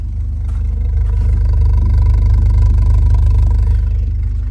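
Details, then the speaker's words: NB Mazda Miata unrun for about six months, started on a jump box and fired right up: strong, even low engine note swelling slightly, steady pulses, no knocks or misses; normal running. "It hasn't ran in probably 6 months, if not longer. And literally put a jump box on it, fired right up, and you can"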